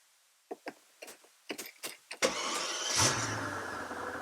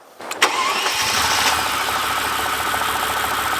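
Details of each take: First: Twin-turbo V12 Mercedes CL65 AMG after a misfire on a road trip, restarted following a key cycle: a few clicks, short crank, catches cleanly and settles to steady idle with no stumble; normal start, cause believed to be bad fuel, check engine light still on. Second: Twin-turbo V12 Mercedes CL65 AMG restarted at a gas station after a key cycle, strong smell: quick crank, steady idle with faint uneven shudder, not firing cleanly on every cylinder; misfire, still runs badly, cause not confirmed.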